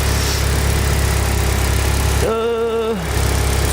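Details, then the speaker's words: Mitsubishi Evo, turbo, with a downpipe and blow-off valve, untuned: low, steady idle rumble with a brief whistle from the blow-off valve venting, then levels out and idles smoothly with no misfire. "Here we go. And you can hear the blow-off valve. And obviously after it blows off, you can hear it levels out and idles fine again."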